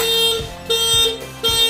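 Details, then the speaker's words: Motorcycle WDA touch-sensor security alarm: ignition switched on and starter pressed without touching the secret point, so engine won't start, turn signals flash and horn blasts repeat about every 0.7 seconds; alarm triggered. "Klakson akan nyala. Itu akan menyala secara terus menerus dan motor tidak bakal bisa hidup. Sen nyala, klakson juga bunyi kencang."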